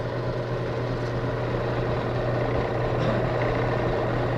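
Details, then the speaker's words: Automobile air conditioner compressor used as shop vacuum clamping pump, pulling up to 26 in of vacuum: smooth constant low hum with even pulse, no knocking or grinding; running normally. "Now this will pull up to 26 inches of vacuum, which is pretty good."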